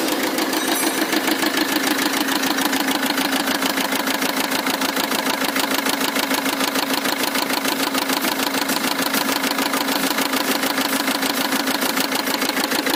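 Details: Mahindra XUV engine with a starting problem; sharp, very regular bright clattery ticking at about three per second over the idle; abnormal engine noise, cause not confirmed.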